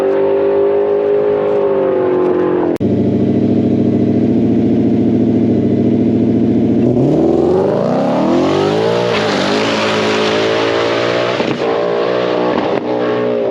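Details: Blue car on an aborted drag pass: the engine climbs and holds hard against the rev limiter, note bouncing flat with no drop into the next gear. Shift points are commanded too late, so the automatic won't upshift until he lifts off.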